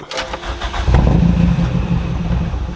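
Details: Compression test, gauge in second cylinder, cranking with the key: starter spins the engine at a steady, even rhythm with no uneven strokes; healthy, reading about 149 psi versus 155 psi on the first cylinder.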